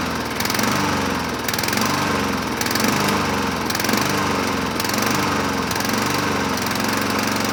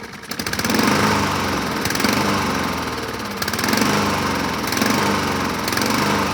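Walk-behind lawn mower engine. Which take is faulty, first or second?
second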